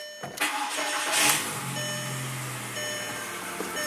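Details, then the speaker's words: VW Golf MK4 2.0L after spark plug replacement with intake manifold refitted: starter cranks briefly, engine catches quickly and settles into a smooth, steady idle with no misfire or rattle; normal healthy start. "here we go turn the radio off even though it's country music car sounds good"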